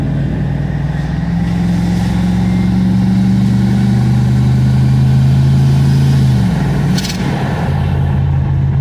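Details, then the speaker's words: Classic truck V8 after opening the driver's-side exhaust manifold flapper door and readjusting ignition timing: engine note climbs smoothly through the gear and drops on the shift with no detonation ping under acceleration; pulls cleanly, previously pinged. "acceleration seems to be good once we get into a straight line here we'll be able to hear if we hear that uh detonation ping again but I don't think we're going to definitely feels a lot healthier"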